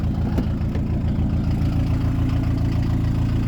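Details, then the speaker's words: Diesel four-cylinder after injection pump synchronisation, not fully warm, oil temperature around 80: deep, even idle with a light throttle blip, no rattle, knock or hunting, running cleanly on all four cylinders. "on accélère un peu le bruit qu'elle fait ce qu'on va entendre mais on entends bien que ça tourne bien sur ces quatre cylindres nickelmoi"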